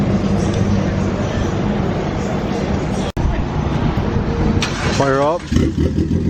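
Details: Turbocharged Mitsubishi Lancer, first start after about two months off the road following turbo work: steady idle then a couple of clean quick blips, pitch rising and falling smoothly, no misfire. Finding: normal engine revving.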